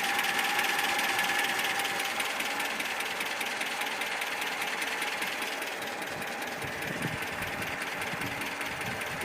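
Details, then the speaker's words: ZMZ 402 four-cylinder petrol engine, cold, throttle blipped from about 550–600 rpm idle: sharp metallic ticking about 150 a minute that comes and goes; cause was piston pin to connecting rod play in all 4 cylinders. "Вот и сразу появился стук. Хотя до этого его не было. Может постучать и успокоиться."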